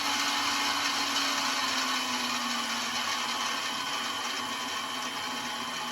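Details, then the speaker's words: Mini milling machine, spindle drive started cold, cooling fan unit at the rear blowing air: even, steady whirring drone with fixed gear whine and fan rush, a little noisy but no vibration, knocks or surging; normal spindle running. "Uh, it's got a a unit back here with a cooling fan blowing out air. in case you get into a spirited session. I guess it is a little bit noisy though, but there's really no vibration at all."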